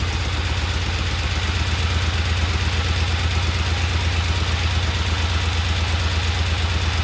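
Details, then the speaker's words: Vintage Norton twin motorcycle on its second start, after oil was added to the primary: steady, even low thumping at about three beats a second, the earlier clacking noise gone; normal idle. "That sounds so good. Get rid of that clacking noise."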